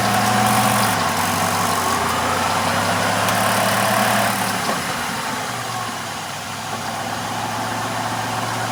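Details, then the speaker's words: 1996 Grand Caravan idling in drive, engine spinning a little faster, heard between engine and transmission: steady knocking at roughly 220 per minute over the engine; suspected broken differential pin in the transaxle. "Oh, yeah. Oh, my God. If that isn't a differential pin, I don't know what is."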